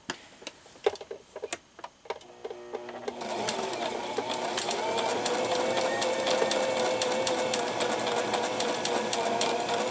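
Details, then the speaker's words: Brother XL-3750 sewing machine, thrift-store find after cleaning and new needle, sewing with uneven stitches: slow needle ticks then fast clatter with a faint whine from inside; internal noise, cause unknown. "So do you hear that noise? I have no idea what that is. It's something inside here though, right?"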